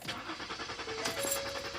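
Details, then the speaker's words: Starter spins in a quick, even rhythm but the engine never catches on a 2014 Ford Taurus, a crank-no-start; the fault was a failed fuel pump control module behind the rear panel. "i'm in my 2014 ford taurus trying to get my car to start but this is what it sounds like when i try to start it"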